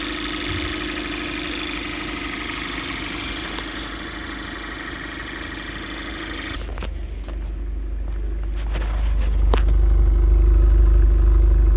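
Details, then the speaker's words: 2014 Cadillac ATS turbo direct-injection petrol, after new vacuum pump: steady even idle, no rough idle or loud ticking, high-pressure injectors still audible; normal smooth idle. "And it runs really smooth now. Just, you know, like what normal would be like normally. There's no rough idle"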